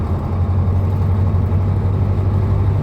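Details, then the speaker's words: KamAZ truck diesel knocking while driving, oil pressure and temperature normal: heavy running with a dull, steady low knock under the engine note; failed injector on cylinder three, later replaced. "Короче, форсунка крякнула на третьем цилиндре."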